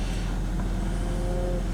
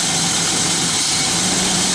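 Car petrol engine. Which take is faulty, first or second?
second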